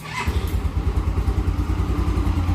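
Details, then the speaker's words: Yamaha Xeon carburetted scooter, after repairing a starter that only clicked and would not crank: it catches instantly on one press of the starter and settles into a steady, even low putter; healthy start and idle. "Ya itulah bentuk kenormalan P Din nya jadi tidak ada kendala lain oke motornya sudah saya matikan"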